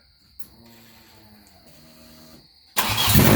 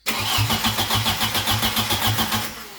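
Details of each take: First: Swapped engine restarted after the crank position sensor was replaced with the one from the old motor, following a crank with no RPM signal: a brief crank, then it fires at once and settles to a steady, even idle. Normal start and idle. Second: Crank no start after reassembly: starter turns the engine briskly for over two seconds but it never catches and the RPM gauge doesn't move; crank position sensor suspected unplugged or its wiring damaged.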